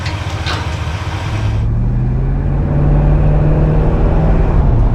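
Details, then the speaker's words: Chevrolet Impala V8 idling after charging fix, output raised from 11.44 V to 14.5 V (new voltage regulator suspected faulty; alternator and coil tested good): deep, even burble, no misses or knocks; running like it used to. "Oh man, she's running like she used to. So I guess there's nothing wrong with that coil, which, like I said, I had tested it."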